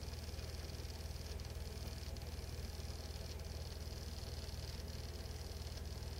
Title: The Mysterious Ticking Noise